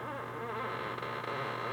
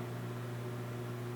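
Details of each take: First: Lexus IS300 clutch pedal: creaky rising-and-falling squeak each time the pedal moves, not fixed by greasing; worn plastic pivot bushings causing metal-to-metal contact, before replacement with new Toyota bushings. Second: Lexus IS300 clutch pedal after replacing the worn plastic pedal bushings with new Toyota parts and greasing: a slow pedal stroke with no squeak, only a low cabin hum and faint spring noise; the metal-to-metal squeak is fixed.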